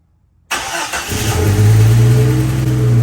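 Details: Jeep Cherokee XJ with long-standing hard start when cold, after fuel pump assembly work found a badly plugged fuel pump strainer: quick crank, catches within a second and settles to a steady even low idle, no stumble or misfire.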